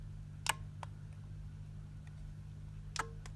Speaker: that pinging is the actual socket so as well as this flashing you can hear the soccer ping on and off